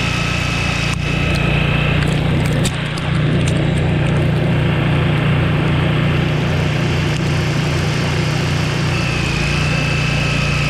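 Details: Free Craftsman LT1000 lawn tractor and two-stage snowblower, unstarted 2 years with fuel in it, running on fresh gas while throwing icy slush: steady single-cylinder drone holding speed, no stumbling or hesitation, runs great.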